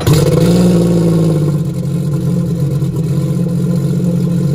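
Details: 2022 Sea-Doo RXP-X 300 with Wet Jet Performance rear exhaust and modded waterbox installed: engine blips up fast, then settles into a deep steady drone with crisp exhaust note, no knocks or rattles.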